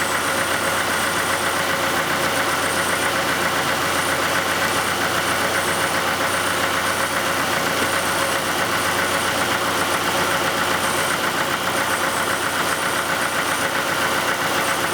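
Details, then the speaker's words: 1991 Oldsmobile Cutlass Calais 2.3L Quad 4 DOHC after repairing a shorted injector misfire, warmed up: even, steady idle with usual light rhythmic Quad 4 ticking, no skipped beats; running normally without misfire. "well there it is turn and knocking like a good old Quad 4 but it's not misfiring"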